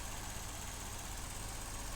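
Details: 2015 Vauxhall Corsa E 1.4 Ecotec, codes P0300 misfire and P0171 system lean, complaint misfire and lack of power, no air leak found, runs better with MAF disconnected: low uneven idle with slight stumble and steady hiss; rough idle.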